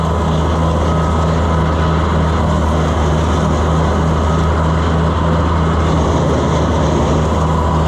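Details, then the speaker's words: Minneapolis Moline pull-type combine harvesting weedy wheat behind a tractor; heavy drone with uneven low rhythmic rattle, noise not yet identified, abnormal, cause unknown. "Boy, she don't sound good, does she? I still haven't figured out what that noise is. One of these days it'll break and then we'll know."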